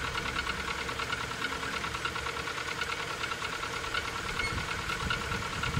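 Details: Rover 25 1.4 K-Series cold start before servicing: cold idle with hollow, uneven knock about eighty a minute in the engine's mid tones; suspected piston slap, unconfirmed; background squeak is a door or gate.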